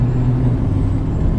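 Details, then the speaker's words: Nissan Titan XD Cummins diesel after fitting a CFT cool air intake, short whoosh of released air like a blow-off valve over low engine drone at each gearbox shift; louder turbo, normal. "Whenever it shifts, it does like a kind of like a blow-up valve sound, like just air being released, and it's such a cool sound, but I don't know how well the camera is going to be able to pick up these sounds."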